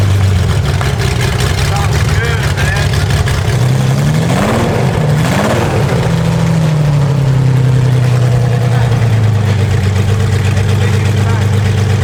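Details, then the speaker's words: Abandoned Ferrari Testarossa race car (12-cylinder), first start after the engine was reinstalled, warming up: loud, lumpy idle with uneven pulsing and a brief rev. There is a fuel leak somewhere, and it is suspected not to be running on all 12. "We got a fuel leak somewhere we got to sort out, and I don't think it's quite running on all 12, but it does run."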